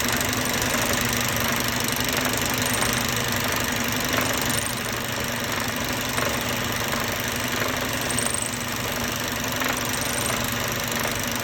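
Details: Idling Mercedes-Benz Euro 5 diesel with a faint, uneven tapping riding over the running noise, source not yet pinned down; abnormal engine knock that needs tracing with a stethoscope before replacing components.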